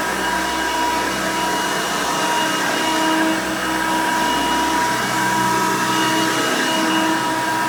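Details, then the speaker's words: 1990 Hoover Elite 200 U4467 upright vacuum running on carpet: loud steady motor roar with constant whine, quieter than later 7 amp versions, no pitch change; healthy. "motor and doesn't it doesn't produce as much noise as a later 7 amp version would but it's still pretty loud though but it's not that loud"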